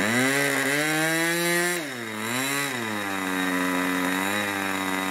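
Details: 1980s Irvine 40 MkII ABC glow engine with twin-needle carb, 10x6 prop, 7% nitro and 20% oil fuel, on its first run: a high-pitched scream wavers and sags unevenly instead of holding a clean note. The low-speed needle is set too rich.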